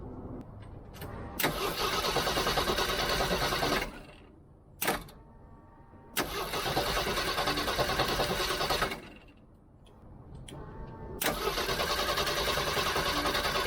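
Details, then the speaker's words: Old Jeep cranked by a DBPOWER G57 2500A jump starter, with the battery and distributor disconnected: three bursts of fast, even cranking, each cut off by the starter pack after about 6–7 seconds, no firing; normal cranking with ignition disabled. "So, I have got the battery completely disconnected, and I have the distributor disconnected, so the car will not start."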